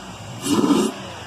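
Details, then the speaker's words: Pontiac Grand Am with a modified intake and high-flow air filter: a short throttle blip brings a rising, hollow whoosh of air being sucked in, then settles back to quiet idle; only light revving. Normal intake sound. "Aquí ya tenemos la máquina encendida, no sé si se alcanza a escuchar cómo está chupando aire. Vamos a acelerar un poco."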